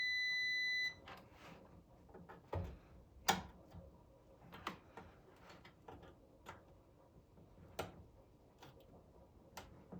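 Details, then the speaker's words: Supersonic pinball lamp driver board, continuity test: steady high meter beep on Q50 (bonus 8K lamp driver) only, then probe clicks; Q50 transistor is shorted and needs replacing. "Okay. Did you hear that beep? Q50 is beeping. No other one is beeping. So Q50 is definitely bad."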